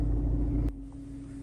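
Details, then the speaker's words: 2013 Kia Forte after its leaking exhaust was patched with JB Weld steel stick and left to dry: a steady low idle hum with an even tone and no puffing or ticking. The leak is sealed; normal idle. "all right that seal is dry so now let's start it up all right you hear that that sounds beautiful"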